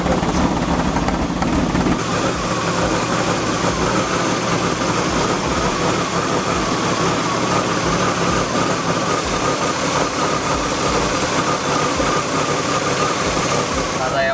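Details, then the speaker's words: BMW E36 323i with M52B25 engine at idle, AC and radio on: idle wavers with uneven lumpy beat about three pulses a second under a buzzy hum; rough idle, cause not yet found. "Hari ini gue bakal ngecek mobil teman gue, BMW. Problemnya itu dia langsam"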